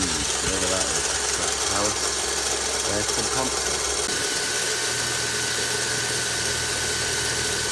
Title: Vitara 2007 1.6 VVT - Grinding Noise AC Pump?